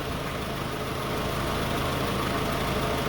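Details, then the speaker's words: 2002-2006 Toyota Camry that shook at idle with AC on; AC and cooling fan kicked on, 12.91 V, steady even idle hum with no knocks, misses or surges, no shaking, running smoothly. "So, now the AC kicked on it and the fan kicked on and it's 12.91 again. The car is still not shaking. You can hear it. This weather is smooth."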